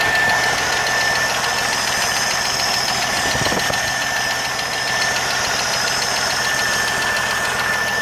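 Light, fast ticking, roughly three per second, riding over a steady idle; a ticking engine with no clear cause yet.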